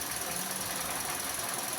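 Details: Toyota Vios gen 4 engine bay: a loud, steady whirring rattle and hiss; belt to be removed to verify.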